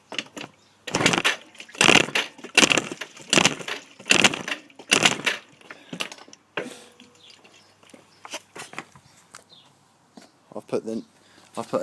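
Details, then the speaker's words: Yamaha Aerox scooter with new piston, rings, head gasket and coolant, spark present: about six kick-start strokes a second apart, engine turns briefly but never fires; cranks but won't start. "a new cylinder head on that noug head gasket new spark plug and a new piston ring and it still won't kick over if you could help me that would be great thanks"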